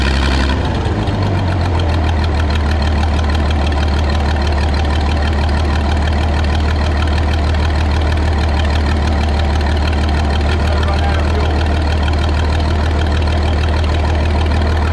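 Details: Michigan 35A wheel loader, revived after sitting in weeds (broken spark plugs removed, compression restored, a cleaned connection fixed running after running out of gas): engine catches and settles into a steady even low idle, no misses or knocks.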